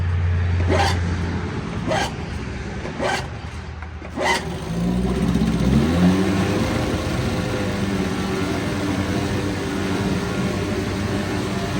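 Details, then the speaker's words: 1972 Evinrude 4 hp light twin outboard, probably unrun about a month, run in a test barrel at 30 degrees before winter storage on proper oil mix: catches after a few pulls and settles into a steady, even buzz, no misses or knocks; very good runner. "This one's also a very good runner, and I'm going to shut the gas off now."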